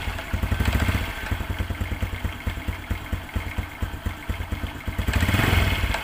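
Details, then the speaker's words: Honda Absolute Revo scooter at idle: light regular metallic clatter from the clutch area on each beat, like iron knocking; cause found to be worn clutch shoes (kampas ganda), fixed by replacing them. "ini bagian kopling suaranya ada kayak benturan besi ada kayak sejenis klepek-klepek klethuk sejenis benturan besi di di area kopling"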